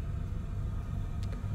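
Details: Oil-fired boiler on an old gravity hot water system, after unblocking the cold feed pipe: smooth, even low burner rumble with no gurgling, banging or surging; running normally.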